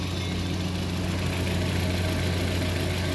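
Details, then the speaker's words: Suzuki Dzire after a top overhaul for overheating (head gasket replaced, head and block refaced), solid non-hydraulic lifters, some air still in the cooling system: steady, even low idle with no valvetrain tapping; quiet and healthy. "Wala naman. So tahimik na. Ganda ng under niya."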